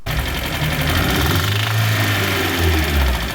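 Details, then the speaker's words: Owner's first engine rebuild, knocking again after 75 miles despite 200 psi compression on all four cylinders: rapid regular metallic knock over idle following engine speed; suspected rod knock. "yeah what is that yeah unfortunately the rod knock has come back uh or at least I think it's Rod knck"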